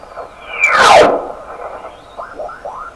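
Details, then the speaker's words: Heathkit SB104A transceiver while aligning D board coil L406 on the 28.0 band: sudden loud rushing burst swells and fades, then odd warbling, sweeping tones; unexplained noises, cause not clear. "Now that was not me. Wow. It's pretty loud in here too. Man. I don't know what to make of those sounds."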